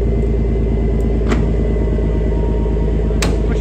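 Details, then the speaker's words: Chieftain main battle tank being recovered after its track came off: heavy diesel rumble with rough, uneven knocking about three per second under load, "that sounds horrible"; abnormal running noise, cause unclear. "oh I don't like that noise yeah me neither"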